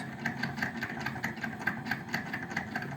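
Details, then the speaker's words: Daewoo refrigerator evaporator (cooling) fan motor, cleaned a year ago, noisy again and loud for two weeks; vibration knocked the fan blades loose: light rhythmic ticking about five times a second over a low hum; fan motor noise. "hoy les traigo información acerca de un refrigerador que le está sonando el motor"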